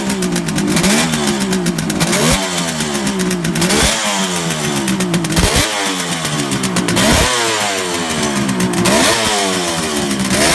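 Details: 1971 Kawasaki H1 500 two-stroke triple after fixing a spark plug cap and loose wire at the distributor cap: crisp, free revving, pitch rising and falling cleanly, firing evenly with no misses.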